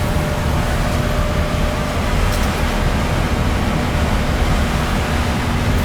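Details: AC air handler after blower motor replacement, called in for no cooling and burnt smell: steady even air rush, low rumble, faint hum, no rubbing or rattle; normal blower operation.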